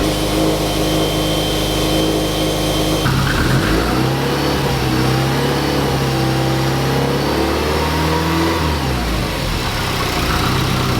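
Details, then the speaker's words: Subaru STI after fixing cylinder 1 misfire wiring (swapped injector harness pins restored): flat-four idles steady and even, revs smoothly on a blip and drops back clean; AVCS values in sync, running perfectly. "i think we fixed it boys she's running perfect now"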